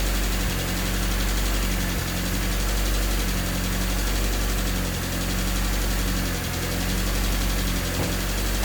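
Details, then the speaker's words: Honda D16Y8 swapped engine after valve lash adjusted to spec, not fully warmed: idle rises and falls about every 1.5 seconds with light ticking. Still a hunting idle. "It's still idling a little weird. It has a hunting idle. I haven't really fully warmed it up yet, but seems to still have that idle issue."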